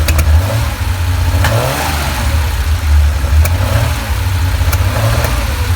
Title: Porsche flat 6 with lean misfire